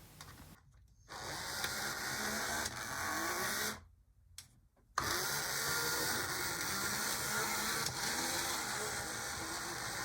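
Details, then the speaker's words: HO scale model locomotive with a vertical motor, after repair: small motor whirs with a busy high-pitched gear rattle and brief gaps; now running but not the quietest. "okay like a lot of these it's not exactly the quietest thing but it is now a working thing"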